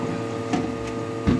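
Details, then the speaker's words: Desktop PC system unit freezing when several browser tabs are opened, camera on the centre of the case: constant electrical hum with two short crackling bursts while the yellow light stays lit; cause unknown. "Слушайте вот сейчас трещал сейчас перестал и лампочка сразу жёлтом жёлтое перестало гореть"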